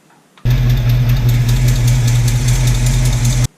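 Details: 1966 Mustang coupe, factory V8, 4-speed, just after fitting a hard fuel line with an Edelbrock 8131 kit: a deep, even V8 rumble at a steady idle with no misses or knocks, and no fuel leaks after 10 minutes.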